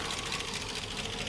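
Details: Nearly 20-year-old Chevy LS 5.3 V8 truck that developed a fault on the highway; fast, light sewing-machine ticking over the engine, suspected lifter problem, unconfirmed.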